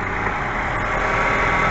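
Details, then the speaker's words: 2004–2011 Mazda 3 2.0L after timing chain replacement, valve cover refitted and oil topped up: smooth, steady idle with an even hum and no ticking or rattle from the timing side; a normal, healthy idle. "everything sounds nice and perfect so again guys I really hope this uh timing belt video helped you out"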